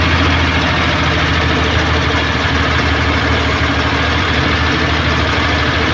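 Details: Suzuki Multicab F6A carbureted engine that would not start, now running after carburetor overhaul and cleaning, float valve and distributor adjustment: even, steady idle with a firm low hum, no misses, knocks or hunting, running smoothly.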